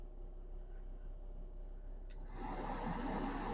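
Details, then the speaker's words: 2009 VW Jetta TDI SportWagen blower fan after replacing the blower motor resistor (before, it only worked on high), run through settings four to one: smooth, steady rush of air with no rattle or squeal; blower now works normally. "yes it worked quick one of the easiest things I've ever had to do hopefully you guys can hear that in the camera awesome it works"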